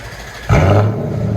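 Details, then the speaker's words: Lexus SC400 V8, 2 1/4-inch true dual straight pipe with X-pipe, resonator and rear muffler deleted, factory tips: deep rumble jumps into a quick throttle blip then settles, loud raw exhaust but clean, no rattles or pops. "Lexus SC400 straight pipe all the way back with an X pipe. That's what it sounds like."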